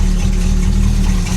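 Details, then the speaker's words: Original survivor Dodge Dart Swinger 340 V8 (carbureted, mechanical fuel pump, long sitting) starting and then holding a low, even burble at idle with no throttle, no knocks or misfires; slightly rough until the choke opens, but sounding healthy. "there it is is oh she sounds great I'm not even on the throttle anymore guys she's idling on her own"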